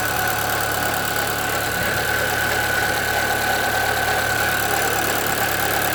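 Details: 2013 Chevrolet Celta 1.0 at idle: rough, fast ticking rattle about three times a second with a faint whine at the front of the engine, getting worse; timing belt replaced at 50,000 km without fixing it, and the owner suspects the water pump, which has slight play.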